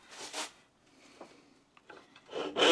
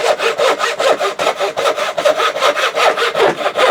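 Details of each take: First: Rusty, very blunt thin turning saw blade before sharpening, sawing pine: slow, scratchy, dull rasping strokes with quiet pauses, cutting poorly, about 10 mm in roughly 30 strokes; blunt saw blade. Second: Freshly sharpened thin turning saw blade (rip cut) cutting out dovetail waste: smooth, even rasping strokes about two and a half a second, biting steadily; sharp saw cutting cleanly.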